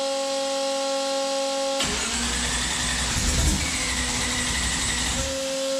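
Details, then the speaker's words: Turbocharged COPO Camaro on its first start after the intake, turbo and exhaust build, run briefly with no coolant: it catches and runs a few seconds with a rev blip, firing evenly without misfire or knock; normal idle. "That thing sounds so wicked. Holy cow."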